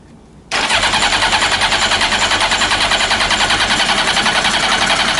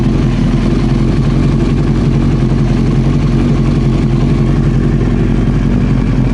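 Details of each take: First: Old Honda CBR900 Fireblade (carbs; complaint is backfiring) on full choke with a spritz of carb cleaner: the starter spins the engine steadily at about three beats a second, with slight encouragement but no firing; a crank-no-start from fuel starvation. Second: Old four-cylinder Honda CBR900 Fireblade idling with the fuel tap off, waiting for reported backfiring: steady, even low idle with a soft regular beat, no misses or surging; sounds healthy.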